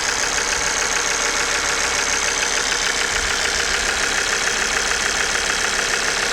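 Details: Idling engine with fast, fairly regular ticking knock about twice a second from faulty injectors and oil pump; diagnostic tool showed no fault, noise gone after replacing injectors and oil pump.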